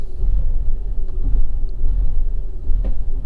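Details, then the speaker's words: Fiat 500 Lounge idling rough after a new intake pressure sensor and cleared codes, with the foot on the accelerator to stop it stalling. The deep, uneven rumble still shakes and there is an odd thump; cause unconfirmed. "no fault cut no it's still shaking a lot of good and"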